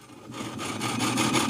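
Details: Sony TC-252D stereo reel tape deck running on the bench: dry scraping rub pulsing about five times a second as the mechanism spins; flywheel rubbing, noise associated with the reel.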